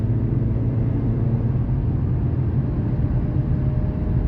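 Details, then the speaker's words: 2007 Chrysler PT Cruiser on a road test at over 70 mph after one wheel bearing was replaced: a steady low road rumble with no growl or hum rising with speed, so the earlier bearing noise is gone. "I am doing 70 miles an hour and I don't hear that noise anymore. I am over 70."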